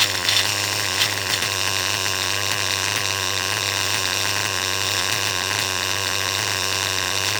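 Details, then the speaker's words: R5 nitro engine running steadily: high buzzy note with a faint irregular random rattle underneath; source unclear, owner suspects a failing bearing, clutch setup checked, engine to be pulled. "so it's not about the tune you guys right now it's about the Chipmunk running around in my uh R5 I don't know if you could hear that just kind of that random noise maybe a bearing's going out"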